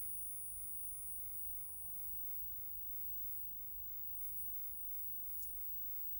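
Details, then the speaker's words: GEC dual-standard valve television during slow run-up at about 160 V: thin, steady, very high line whistle at constant pitch; line timebase running normally on 405 lines. "there's a strong line whistle now at 160 vol T see oh it sounds like it's on 40"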